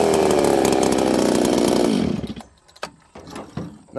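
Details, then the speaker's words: Higher-RPM-build chainsaw, usually run with a 28-inch bar: high-pitched scream at full revs dropping sharply off throttle, crisp snappy trigger response and an even tone; healthy saw. "friends I like this saw uh it's really Snappy trigger response on this saw is incredible it's really fast it's a higher RPM build"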